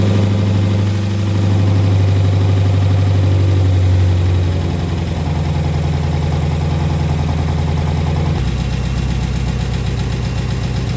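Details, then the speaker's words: Rebuilt SRT 392 Hemi V8, first start-up after the rebuild: deep steady idle with a faint quick lifter tick underneath, quieter than expected as the fresh lifters pump up; otherwise running clean. "right, as y'all can see, that was the first start up and it sounded pretty good. The lift is even isn't even ticking as bad as I thought it would have"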